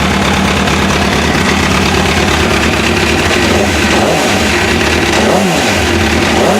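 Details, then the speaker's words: MV Agusta F4 after fuel pump repair, original pump replaced with an AEM 320E 320 LPH pump, tank refitted: loud, even idle with a steady note and a few quick rev blips, no stumbling or misfire; normal idle. "So she's running, guys. Really happy with that."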